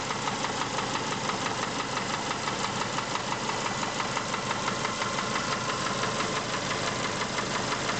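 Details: Subaru engine with a sharp, regular knock at about three per second over a steady idle, evenly spaced and persistent; engine knock, source not pinned down.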